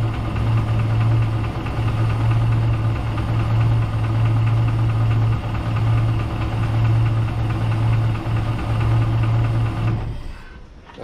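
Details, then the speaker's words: Project boat's starboard engine at first start-up; deep, heavy knock pounding about three times a second over a low drone at idle; suspected rod knock, possibly just a lifter, engine to be pulled: engine knock. "Starboard engine, this one here, sounds like it has a rod knock. I'll have to pull the engine and get in there and see what's up with that."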